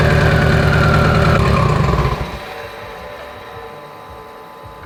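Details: Mitsubishi Evo 8 being built for 800whp, restarted after coolant top-off; oil pressure, AFRs and fuel pressure all good: steady even idle pulse for two seconds, then winds down, no knocks or misses; normal idle.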